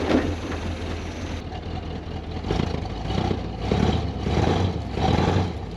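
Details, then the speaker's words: 1968 Pontiac Grand Prix big-block V8 after swapped plug wires 5 and 7 were corrected and timing set: idles with clean throttle blips, no stumble, firing evenly; run briefly since there's no coolant and the water pump is broken. "that's a little better can't run it too long we need a cooling system"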